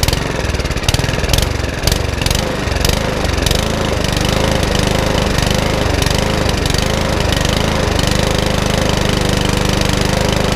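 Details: Mountfield HP164 lawnmower that keeps cutting out: idle surges and sags unevenly every second or so and never settles; hunting, with a carburettor problem suspected, which is then ultrasonically cleaned.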